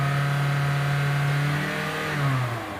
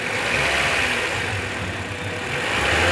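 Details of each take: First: Toyota Altis with a cylinder 1 misfire and poor pickup, spark plugs changed two days earlier, after repair with the flashing check light cleared: the petrol engine holds a smooth raised rev and eases down without stumble. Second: Toyota Corolla Altis with poor pickup, P0301 code: revving engine sounds lumpy and uneven, stumbling as revs rise, unplugging cylinder 1 coil gives no change; cylinder 1 misfire.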